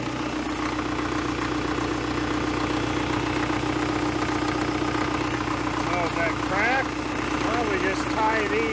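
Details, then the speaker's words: 1970s Caterpillar D330C 4-cylinder diesel, 90 kW generator set, first runs after sitting 10+ years, at wide-open throttle, no load, coolant not yet warm, smoking slightly: steady, even drone with no knocks or misses; running normally. "wide open smoking a little bit [Music] the water's not very warm i think we'll let her cool down a little for a few minutes don't really want a runner wide open for too long there's no load on it"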